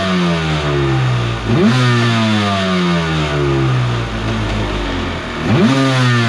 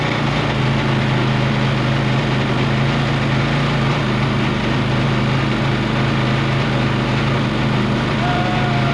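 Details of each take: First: Borrowed 750 Kawasaki jetski engine in mini aluminum jet boat, run on hose with jet pump removed: revs blip and settle cleanly to steady idle, no crazy noise; earlier noise traced to the pump. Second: Kawasaki 750 jet-ski engine in a mini jet boat, run on the hose with the pump reinstalled: drones heavy, revs slowly, with much extra rough clatter compared with running without the pump; labored revving with excess noise under load.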